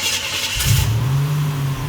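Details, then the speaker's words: Buick Grand National cold start after new fuel pump, sending unit, filter and cleaned tank: catches quickly, flares, settles to steady slightly high cold idle, no knock; runs well, idle needs adjustment. "Beautiful. Oh man, that's nice. The idle is still a little high. It is cold though right now."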